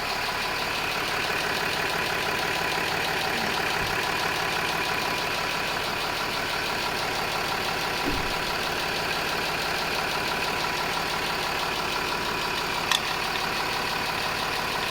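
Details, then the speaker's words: 2011 Range Rover Sport L320 3.0 TDV6 diesel, first start after front timing belt and serpentine belt replacement, starter motor refit and coolant refill: even, steady idle with smooth regular clatter, no knocks, squeals or rattles; normal idle. "And this is the moment of truth. We will start the engine. The engine is running."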